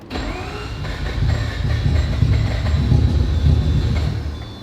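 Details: Rebuilt 20B three-rotor RX-7 engine that will not idle properly, run while tuning the fuel map: uneven, lumpy rumble that surges and fades with no steady beat; running worse than before.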